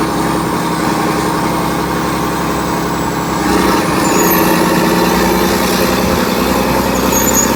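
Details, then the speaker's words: Vintage 1980s all-mechanical John Deere 790 excavator (48,000 lb) working its functions: diesel settles into a steady rumble, then revs up smoothly around halfway and holds even, no knocks or misses; healthy, normal running. "sounds great oh man you can't touch a machine like [Music] this it's not even idled up so"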